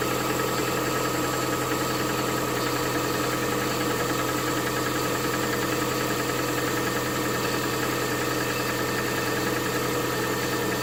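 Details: Lada Vesta 1.8 engine at cold idle: steady hum with a faint fast ticking knock riding on it; knock when cold, source not yet known.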